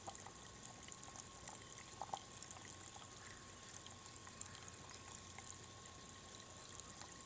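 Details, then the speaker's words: Lead-acid mower battery being restored, on charge, 78-degree day: faint steady fizzing hiss with tiny crackles and no motor behind it as the cells gas while taking charge; battery gassing while charging. "I'm going to be very quiet. See if the camera picks up this sizzling from the battery cells."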